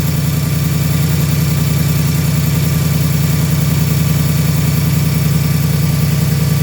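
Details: New 2018 Ford Mustang GT automatic, Gen 3 Coyote V8, on a dealer lot: steady idle with a fast, loud, even tick of three or four a second; owner believes the tick is normal for this engine, cause not pinned down.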